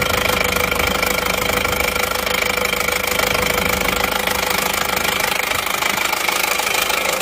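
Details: Isuzu Panther LS automatic diesel, 4th engine failure in 7 months, cold morning start. Idle raised to stop stalling, oil filler cap open, smoke showing. Steady fast knock about 3 per second with a harsh gassy rush.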